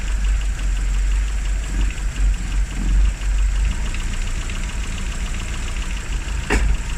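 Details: Classic Rover Mini (Riley Elf), points ignition, just started after about three months unused on a very cold day: low, slightly lumpy idle with soft uneven beat, settling. Idle after long lay-up; run at least 30 minutes to recharge battery.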